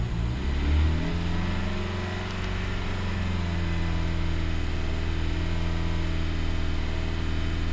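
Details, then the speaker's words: 2017 Jeep Cherokee Trailhawk (KL), about 89k miles, just after alternator replacement; smooth, steady hum at raised revs with no whine or knock, charging normal; normal raised idle. "Cool, I wanna start it up and listen for any odd noises. No odd noises."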